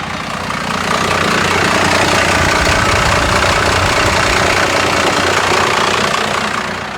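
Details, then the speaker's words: First-generation diesel truck idling about 500–600 rpm with AC compressor off, dropping to about 400 in gear; loud clatter, slow lumpy idle barely hanging on; idle speed set too low. "What do you think we're at here? 600 maybe. Is it? I'd say that's probably, yeah, I don't know. Maybe 500 to 600 probably."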